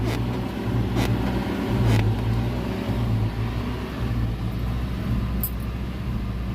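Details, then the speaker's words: Toyota Fortuner 2.7 petrol with check-engine light on and unresponsive accelerator: low uneven rumble and thumps, stumbling and jerking around 1,800–2,000 rpm, will not rev when throttle pressed; cause unknown. "เนี่ยครับช่างเป็นแบบนี้เครื่องมันจะรูปเครื่องจะโชว์รูปเครื่องจะโชว์แล้วนี้เครื่องเติดอยู่นะได้ยินเสียงมั้ยเสียงมันจะเอ่อสะดุดๆเร่งบืดๆบืดๆฟังเสียงดูผมจะให้เห็นนะ้าเร่งก็เร่งไม่ได้ตัวนี้นะฮะ"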